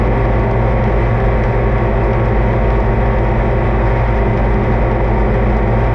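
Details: Oliver 2255 front-wheel-assist diesel tractor running at constant speed on a test run after service (engine oil, transfer case, front axle, rear end and hydraulic oil changed); deep rumble with no knocks, misfires or surging, normal running.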